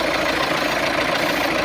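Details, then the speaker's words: VW Amarok diesel at idle with codes P22D500 and P22CF00, no low-down boost and a seized primary turbo, now with new turbos. A steady airy hiss at the turbo switching valve's top feed line shows vacuum reaching the valve, but none at its output. "Okay, and what we're getting at the moment is our feed line in, which is this top one here. You can hear the vacuum"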